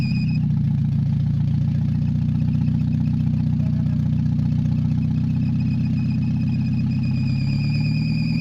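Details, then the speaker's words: Mazda 626 just after head reassembly, first start: low rough idle with uneven pulse and wavering speed, really low RPM; owner suspects bad EGR or very old gas, noting some knock and heavy vibration before warm-up. "don't it's got a little bit of fluctuating idle and really low RPM"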